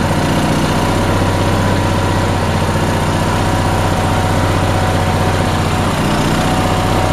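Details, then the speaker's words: Onan engine after the fuel pump was moved onto a head bolt and new fuel line run: lumpy, uneven beat near four pulses a second that never settles into a smooth idle; owner suspects it isn't getting enough fuel. "So I moved that and ran some new fuel line, but it's not running correctly right now. I think it's not getting enough fuel right now."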